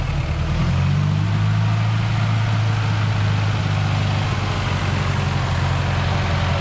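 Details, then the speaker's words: 1931 Ford Model A four-cylinder after a first-time engine swap, with a fuel pump fitted and the carburetor adjusted: a deep, even idle with a steady low rumble and no knocks or misses. The engine is running smoothly and healthy. "Joshy adjusted the carburetor. Let's suspend any music and just listen to that purring engine. Boy, it sounds good."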